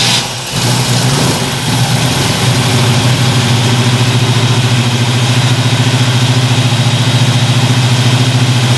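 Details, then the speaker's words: 1977 Chevy Nova small-block that had cranked long without starting, now firing after advancing the ignition timing: short crank, clean catch, then a steady, even idle with no misses. Normal idle. "oh that's sweet okay so obviously it started"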